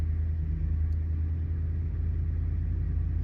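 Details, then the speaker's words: 2010 Ford F-150 5.4 V8, about 175,000 miles, cold start after running rough with flashing check engine light: deep idle rumble with slight irregular stumble, mild misfire; alternator bearing also suspected going bad. "Got a little bit of a miss in there if you can hear it."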